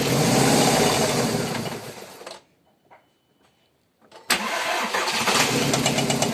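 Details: VW Golf 4 1.6 16V BCB engine idling, shut off and restarted: steady knock about three a second rides over the idle, source not pinned down.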